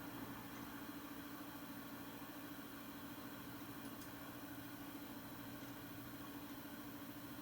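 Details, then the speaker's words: Nvidia GTX 980 reference card in a Dell XPS 8700, fan returned to auto after 50% (2,100 RPM), readout dropping gradually to 13 then 11: faint, steady low hum with no rubbing or ticking; quiet healthy idle. "All right, we're back down to 11. It goes down very gradually. It went down to 13 first."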